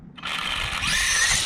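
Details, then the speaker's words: Traxxas Slash Street Eliminator no-prep RC car, brushless motor on bench free-spin with wires on alligator clips: at full throttle a rising high whine stutters unevenly, a "little staller," before pulling away; the motor is cogging. "Alright guys, listen to the cogging. That little staller. So if I pull full throttle, listen to what it does."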